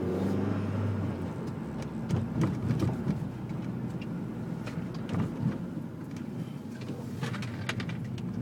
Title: bruit moteur 2